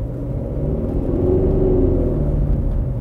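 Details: 2009 Mercedes E 220 CDI (W212, 125 kW, 152,000 km) on a test drive, heard inside: a heavy, loud droning boom rises mainly under acceleration over the diesel rumble, typical of a torn, soft transmission mount.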